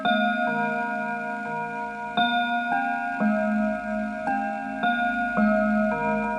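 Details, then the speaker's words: Antique Enfield Westminster-chime mantel clock, fully wound, checked before sale: clear, evenly spaced bell tones play the quarter-hour melody through 1:15 to 2 o'clock, each note ringing cleanly; chime mechanism working properly. "And to make sure that the clock is actually chiming properly, let's have a listen to it."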